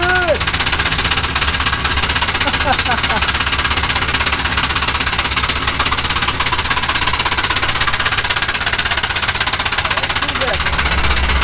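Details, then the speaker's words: 1965 Chevrolet junkyard truck engine started after sitting with crusty old oil: sharp, regular ticking about four per second over rough idle, improving as oil pressure builds; top-end tap suspected, not confirmed. "think she's a tapping. Hey, that got better. That cleaned up a little. Just touch it on for a second. I think it had to build oil pressure."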